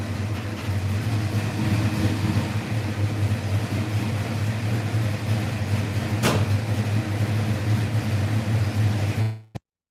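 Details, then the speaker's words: Fox-body Mustang V8 after header leaks were fixed and TPS set: deep, even rumble with no ticking or puffing from the exhaust side, runs smooth though the idle still sits a touch low; normal idle. "All right, we're going to go ahead and start this car up, let you guys hear it. It should sound a lot better than what it did last time."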